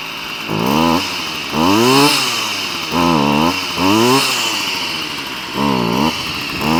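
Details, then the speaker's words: Stihl FS38 curved-shaft strimmer, two-stroke, reported hard to start, choke lever broken; just started on the lawn off choke: revs rise and sag in uneven surges every second or so, won't hold steady; running poorly, carb high/low jets to be tuned. "Okay so it is actually running but it's not running very well so what I'm going to try and do now is just on the back of this Carby I'm going to try and just tune it"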